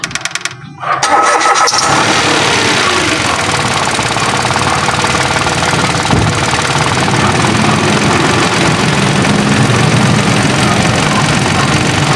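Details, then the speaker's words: Car with a simulated dead battery, negative terminal removed, started with an online-bought portable jump starter: a brief crank, then the engine catches cleanly and settles into a steady, even idle with no knocks or misses; a healthy start. "So ayan kita niyo narinig ninyo po yung ating sasakyan gamit lang itong ating jump starter."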